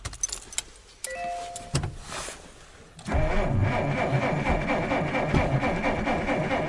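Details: 1947 Dodge failing to start over several days: steady starter churn about two beats a second without catching, cranks but no start; owner suspects an electrical problem, petrol smell noted, cause unconfirmed.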